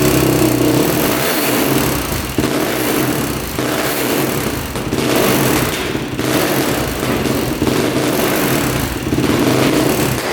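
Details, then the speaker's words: 2006 Yamaha YFZ450 special edition quad: revs in uneven bursts and sags, won't settle to idle; owner hears top-end ticking he thinks is valves, and suspects it runs lean, backfiring a lot without choke. "thank you not wanting to idle I can tell you that there is also a ticking in the top end I think it's just valves though could you hear the ticking in the top end"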